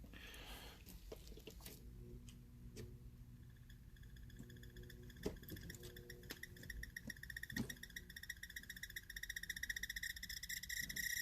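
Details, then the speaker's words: Christmas projector light's slow rotation motor, run on the bench: rapid fairly regular chirping, three to four a second, growing louder after start-up; owner suspects an internal planetary gearbox, cause unclear. "Because it starts slow, and you can hear the sound just gets louder and louder and louder."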